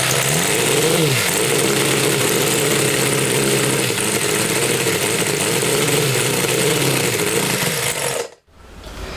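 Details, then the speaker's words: Homemade four-cylinder CD125four engine (Honda Monkey converted, ver1.1) on test bench: uneven surges on throttle blips, then dies abruptly; keeps running only on choke; owner suspects oversized carb giving too-slow airflow for fuel vaporization; head gasket oil seepage noted. "チョーク引いてればかろうじてなんとか煽ってればかかるんですけど、逆にチョーク閉じちゃう、チョーク下ろしちゃうともう一気にストールしちゃうんで、"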